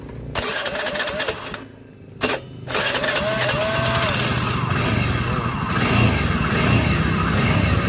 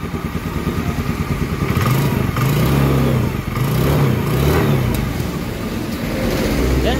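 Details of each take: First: Carbureted Honda Scoopy with a robot-like rough engine sound, run with the drive pulley removed: a harsh, gravelly mechanical roar remains, so the noise is internal; cylinder head and crankcase to be opened. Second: Carbureted Honda Scoopy that had a rough, robot-like engine noise, after the engine was split open and repaired: engine revs up and down evenly with a steady exhaust note, smooth and healthy again.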